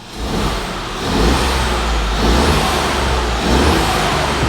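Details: Ford Fiesta Mk7 EcoBoost salvage car, 59,000 on the clock, no dash lights: crisp clean blips rising and falling smoothly with throttle, no knock, tick or rattle; healthy engine revving freely.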